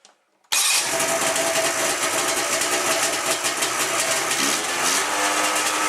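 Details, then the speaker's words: 1997 Ski-Doo MX-Z 440 fan-cooled two-stroke snowmobile, about 12K km, after replacing a cracked carb flange: crisp, steady burble right after firing, no hunting or surging; idle problem fixed. "Actually, I had it running, and we're quite a bit happier with what's going on here."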